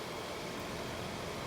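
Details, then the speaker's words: Premium soft-sound condenser with an 825 rpm fan at full speed, about 15 SEER, compressor in a blanket, mic close: steady even rush of fan air with a soft low hum and no rattles; healthy normal running. "pretty good these were think fifteen or sixteen I think there was fifteen seer the xh5 was for 15 seer but pretty quiet"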